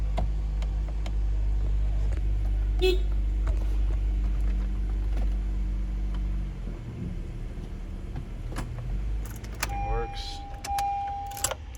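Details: Car after replacing a failed transmission range (park/neutral) switch that caused no-crank, stuck key and stuck shifter: steady even idle for several seconds, then shutoff and a chime; starts and runs normally, key now releases, though the starter may need replacing.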